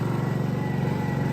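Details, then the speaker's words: Honda EU2200i inverter generator, just started and choke turned off, eco throttle on, no load: quiet smooth even putter at low idle, no misses or knocks; normal idle. "it's running pretty quiet. And that's also because on the Hondas you have this eco throttle switch."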